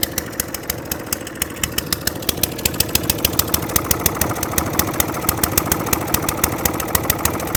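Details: Atco Balmoral 20S, after adjusting bottom bowl jet: single putters about 200 beats a minute with uneven firing; slightly better off choke but still rough and wanting choke, likely needs carburettor clean.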